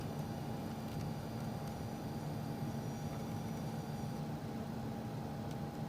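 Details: PC case giving a steady low hum with a faint, constant hiss and no rhythm. The source is the Corsair PCIe 6+2-pin pigtail power cable feeding a 9800GTX+ graphics card.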